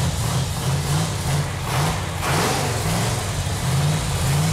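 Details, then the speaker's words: Dodge A12 Super Bee 440 Six Pack V8 on the engine run stand after fuel lines were tightened: deep steady rumble with an even beat and no knocks or misses; normal running. "feels really good to hear that engine run. Yeah, feels good. That engine sounds so good. 446 packs are an awesome engine. Okay, well, she runs. Runs good, too."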